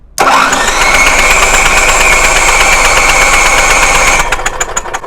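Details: Onan 4K RV/motorhome generator cranks but won't start: starter spins the engine at a steady fast crank for about four seconds with no firing, then winds down; spark test at the plug shows a healthy spark.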